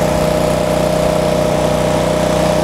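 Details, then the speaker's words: Miller Trailblazer 302 welder generator, carbureted engine, 250 W floodlight plugged in: engine rises from 2400 RPM idle to 3600 RPM, steady even high-speed drone with no surging or misses; normal governed speed under load. "let's see how the engine reacts to it I plug it into the receptacle here and it goes to 3600 RPM"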